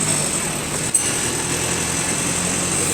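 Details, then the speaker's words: GAL WS113 bus diesel at a steady engine speed: busy, uneven clatter over the engine drone from noisy fuel injectors, likely normal for this engine. "bro the engines fuel injectors are so noisy on this"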